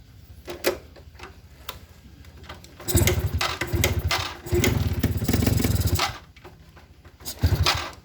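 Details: Suzuki RC100 two-stroke after cleaning the carburettor pilot and main jets; starts and idles fine but revs pick up and drop in uneven bursts, sputtering instead of revving out at full throttle; feels fuel-thirsty, heavy throttle, stutter at high throttle, cause unconfirmed.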